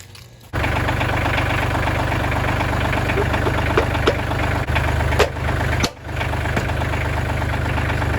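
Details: Kubota L3000DT diesel tractor after a good used replacement engine was fitted and serviced: the diesel catches and settles straight into a steady, even low chug at idle with no knocks or misses; normal healthy idle.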